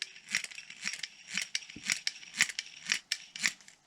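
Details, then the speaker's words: Antique Atlas fishing reel by Kalamazoo company, possibly Shakespeare-made, before service: scratchy, gritty clicks about twice a second with uneven catches and hesitation while cranking; stiff gritty cranking, suspected dry grease and dirt inside. "this old reel it's hard to crank you can hear it and it's got a hesitation to it"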